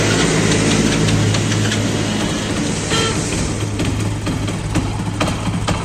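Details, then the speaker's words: Commuter motorcycle (Passion Pro/Shine type), cold, that stalls when put in gear and jerks until warm: uneven, lumpy running held up on the throttle, beat wavering. Cause: carburettor needle not seated properly; it is then refitted. "जैसे ही गाड़ी को start करते हैं और gear लगा के बढ़ाने की कोशिश करते हैं गाड़ी ऑटोमेटिक बंद हो जाती है"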